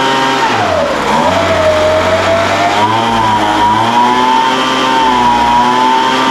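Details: Older Craftsman 200mph two-stroke blower, sat unknown time, restarted after the high-speed mixture was opened slightly: pitch sags and wanders at high speed, then holds steadier and even. High-speed mixture hunting; carburetor acting funny after sitting.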